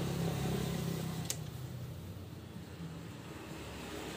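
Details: Yamaha Vixion motorcycle that ran out of oil and died, valves colliding with each other and the piston: engine stumbles and fades, beat faltering and dying instead of holding steady idle; sputtering.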